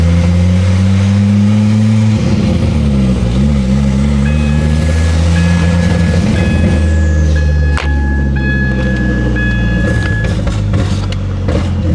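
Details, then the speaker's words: Ford Focus ST/XR5 Turbo revving with a loud straight-pipe-like drone and a stumbling misfire, caused by an exhaust leak; it was much quieter and cutting out less after the leak was fixed. "the reason we are here today is because this little guy here the new addition to the channel is actually having a pretty severe misfire and it's all actually because of the exhaust"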